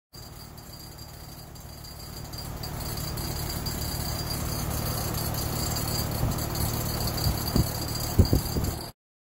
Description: Here's an example of what a noisy outdoor rattling sound could mean for your home.